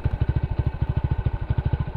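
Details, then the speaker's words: Old Hero Splendor, at least a 2001 model, after clutch housing replacement: even, steady putt-putt at about ten beats a second with no knocking or rattle between firings; healthy single-cylinder idle. "यह देखो भाई आप इसकी song सुन लो आपको यहां से कुछ भी ऐसी साइड इंजन की नहीं आई ही कि इंजन के अनुसार कोई किसी तरह की साइड है"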